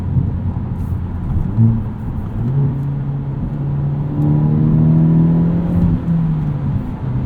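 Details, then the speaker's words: 2022 Hyundai Elantra N, 2.0 L four-cylinder, 6-speed manual, exhaust in sport mode, binaural in-car mics: smooth deep exhaust drone rising under acceleration, no pops; sonorous, less obnoxious, healthy. "You can put the exhaust into sport mode, and it's just sonorous, nice smooth tone, still pretty good volume, but it's not as obnoxious."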